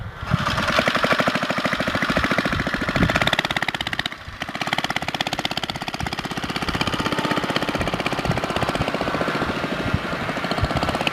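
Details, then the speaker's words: Baja Dirt Bug with an old worn 2 hp Briggs & Stratton side-valve engine replacing the China engine with a bad crank seal: rapid rattly putter, brief dip then recovery; sounds pretty good. "sounds pretty good though I don't yeah there you have it that's a baja dirt bug doodle bug sort of thing with the two horsepower Briggs & Stratton side valve motor in it"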